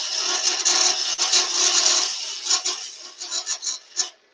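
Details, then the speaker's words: Wood lathe, spindle turned thin in the middle toward a broomstick shape: rough raspy cutting breaking into uneven pulsing bursts; spindle chatter from thin workpiece, just vibration as it gets thinner. "just vibration what's getting thinner"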